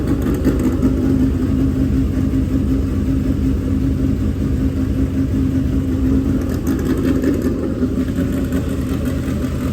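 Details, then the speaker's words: Freshly built dirt-track race V8 at break-in fast idle of 2000–2500 rpm to heat it and seat the bearings: an even, steady rumble with no knocks or misses. Normal running. "we gotta let it break in so we gotta run it like 2 000 2500 rpm for a while let it get heat in it break those bearings in"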